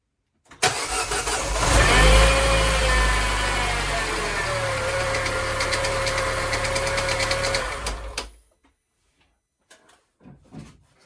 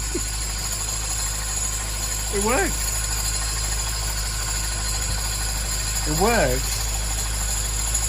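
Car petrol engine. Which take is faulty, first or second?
first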